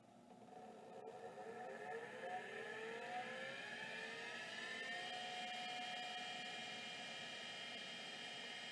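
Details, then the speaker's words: Miniscribe 3212 Plus hard drive that will not spin up: thin high squealing tones wander and climb over a faint whir with no seek clicks. "no activity but like the other one I can actually hear squealing which probably indicates that it's trying to move but the stepper is just stuck"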